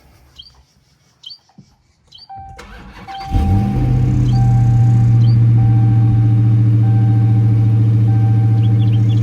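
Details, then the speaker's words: Stolen Hellcat Redeye, supercharged V8, that kept stalling: fuel pressure sensor on the rear rail crossover behind the supercharger unplugged, starter whirs, then steady deep idle with no stumble; stalling traced to the faulty fuel pressure sensor. "Seems like it's idling right now. It's crazy, man. All that stuff y'all see me fighting. Just for it to be a sensor, bro."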